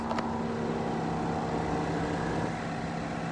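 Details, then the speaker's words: Chevrolet Equinox after correcting a crankshaft gear one tooth off and fitting new actuators: just restarted, sounds like good oil pressure, steady even idle hum, smooth low tone, no ticking or knocking; sounds smoother and quieter already, normal idle. "It sounds smoother and quieter already."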